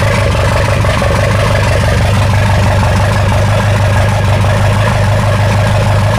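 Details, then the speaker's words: Ford 2.3L turbo sand rail engine after adjusting timing, first start: strong steady idle with a light rapid clatter over the rumble; runs better than before, but weird clatter remains, source unconfirmed; a half success. "whoa that thing is it sounds better than it was before it sounds like it anyways it kind of has a weird clatter but I would say that is like a half success"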